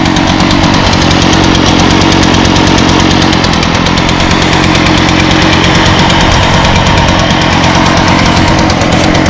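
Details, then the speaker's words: 2014 Echo PB500T backpack blower (50.8 cc two-stroke, built August 2014, used the week before), started with choke and primes: loud, steady high-speed buzz with constant rushing air, no stumbling or surging; runs normally. "pretty much everything is running great with the exception of those three trimmers over there but everything else is working just fine"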